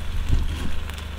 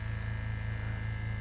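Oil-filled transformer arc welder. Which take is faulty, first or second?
first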